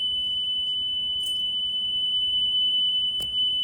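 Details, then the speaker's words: Nakamichi Dragon cassette deck during playback: steady piercing high squeal around 3 kHz over a quiet mechanical hum from worn capstan bearings, both left and right, with play; pinch roller pushes capstan shafts into grooved bearings. "That's the sound of the warren bearings. I told you that I like initially when I tried it like uh when you try to move them up and down, they have some wubble."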